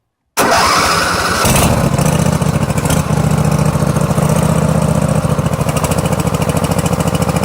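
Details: Small twin engine starts and runs with a lumpy, uneven beat, right-hand cylinder dropping out; spark checked okay, carburetor and coils to be inspected; misfire on one cylinder, cause suspected, not confirmed.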